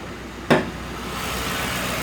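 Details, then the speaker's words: 2006 Ford Crown Victoria ex-police car, 4.6L engine with 4R75E transmission, 106,975 miles: a click, then it catches and settles into an even, steady idle with no knocks or misses; engine runs great, no issues. "Engine runs great, no issues."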